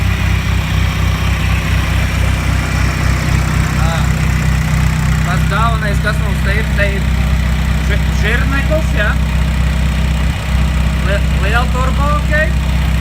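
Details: Audi A4 B5 quattro 1.9 PD diesel, first start after ported head, Bosio race parts, GT2260 turbo and custom exhaust manifold: steady diesel clatter at settled idle, even rhythm, no misfire, knock or turbo whistle; healthy.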